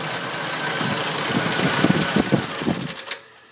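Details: Nissan 240SX at idle: a fast, uneven metallic rattle of about three taps a second rides over a steady idle, then the engine cuts off. The source of the engine rattle is still unknown.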